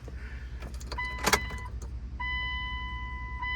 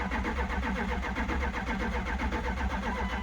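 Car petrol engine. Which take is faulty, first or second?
second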